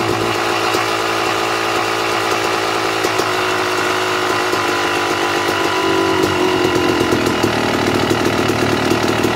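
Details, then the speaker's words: Two-stroke dirt bike (YZ250/KX250-type, Mikuni/Keihin carburetor) with air screw turned out an extra turn and a half: rapid, buzzy idle sitting higher than normal; lean high idle from air screw set too far out. "all right you hear the difference when the bike was idling a little higher than normal all i did was adjust the air screw i turned it out another full turn and a half and the idle was picking up which means it's sucking more air through the carburetor which is not good"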